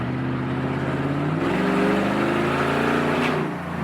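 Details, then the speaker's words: 2007 Toyota Tundra V8 with new dual exhaust, straight-piped with muffler and resonator removed: loud, deep, open roar under hard acceleration, pitch rising with revs; straight-piped exhaust. "but we officially have a straight piped tundra you guys ready for this here we go"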